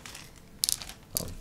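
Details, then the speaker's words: Fake Apple MagSafe charger sold as genuine, weighing 193 g against 266 g for a genuine one, tilted near the microphone: two bright rattling bursts. Something loose, maybe a screw, is rattling inside; not confirmed. "you can hear it actually rattle around there's something rattling around inside maybe a screw maybe a uh who knows"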